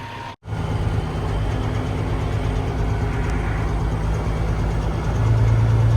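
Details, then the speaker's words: Peterbilt dump truck diesel idling rough with an uneven, lumpy low rumble and no steady beat; the engine is failing and may be pulled, cause not evident. "I don't know if y'all can hear it but it sounds bad kind of looks bad"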